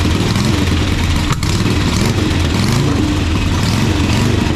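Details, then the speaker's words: 1985 Harley-Davidson Sportster Ironhead, sat outside, just started for the first time: loping V-twin beat settling toward steady idle without stumbles or knocks; sounds healthy. "oh all right so uh that's well that's that's pretty good and there all right"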